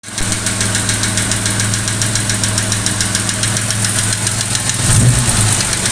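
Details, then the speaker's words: Jaguar 420 petrol engine idling with a sharp, steady tappet knock, about three to four taps a second, from the valve gear; the car otherwise runs perfectly. "So as you heard in the opening little video there, we've got a pretty nasty little tappet knock now, which is really quite infuriating because the car, apart from that, is running absolutely perfectly."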